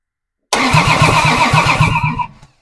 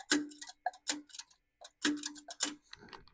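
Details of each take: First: Plymouth Duster Slant Six, freshly installed, cranked via the starter relay contacts before a compression test; strong, even cranking at about five compression beats a second, stopping cleanly: good crank. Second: Plymouth Duster Slant Six at first fire-up after install, timing still off; engine flares to a loud, sustained high rev that won't come down because the throttle isn't hooked up to stay closed.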